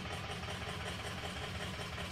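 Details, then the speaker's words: 2003 Ford F350 6.0 diesel: rough lumpy idle with uneven thumping and chuffing beat, whole odd-side bank (cylinders 1, 3, 5, 7) out per cylinder contribution; combustion gas in fuel from leaking injector sealing washers. "and here's your cylinder contribution we got the whole odd side out remember now when fums do this they usually take out two per side"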